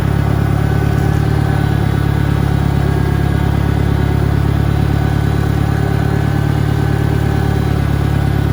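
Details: 1963 John Deere 1010 tractor, original and properly maintained, at 1,000 rpm on a backyard lap; steady low engine drone with a faint, even gear hum; quiet, healthy transmission, normal noise.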